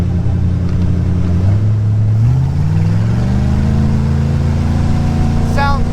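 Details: Cheap used speedboat engine, warmed up to 180°, tested getting on plane, where it used to stumble; pulls cleanly from low drone to steadily climbing pitch under hard throttle, no stumble or miss.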